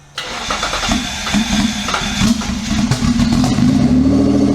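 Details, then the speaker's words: Twin-turbo Mitsubishi Triton, 3.0L 6G72 V6, warm restart test after fixing earth, coils, leads and trigger: brief crank, catches at once and settles into an even, slowly rising idle; starts cleanly with no struggle. "Oh, hey. That don't sound like no 52 horsepower V6 to me."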